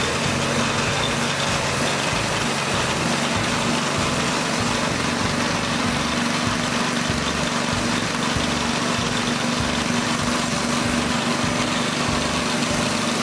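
The small engine holds a steady, even run with a buzzy exhaust beat and no misses or knocks. It sounds healthy.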